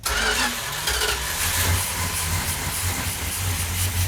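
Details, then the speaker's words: Plymouth 340 V8 Duster cranking over with no primer fuel, a steady rough churn that doesn't catch yet. Afterwards, with the choke held and timing advanced, it started and sounded healthy. "okay so i'll crank it over and you tell me if we're green light because it's probably gonna fire"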